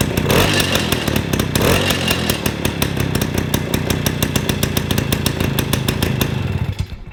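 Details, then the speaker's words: 1953 MV Agusta Pullman 125cc two-stroke single after weakening the carburettor needle: crackly revs with rapid popping that fade as it dies, sounding crisper but still rich. A leaking, rattly exhaust makes carburettor tuning impossible. "That sounded crisper then, but look, like I say, when that's like that, you'll never ever tune a carburetor on one."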